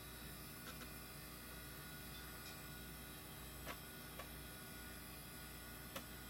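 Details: Old IDE hard drive detected as master with good SMART data, passing all quick tests; quiet steady spin hiss with an occasional soft seek tick about every second; running normally.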